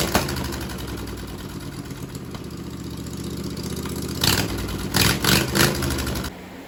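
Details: Mower built from junk parts, after cleaning carburetor jets and wiring the carb solenoid to the key switch. It catches and settles into a steady, even beat around 210 per minute, with a few throttle blips near the end. It sounds healthy.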